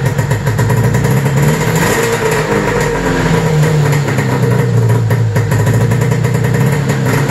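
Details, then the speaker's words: 1995 Arctic Cat ZR700 carbureted two-stroke snowmobile engine after spark diagnosis: even steady idle with crisp regular beat, no misses or knocks; normal idle, engine sounds great. "all right guys so that's it you can see those pistons worked great uh engine sounds awesome"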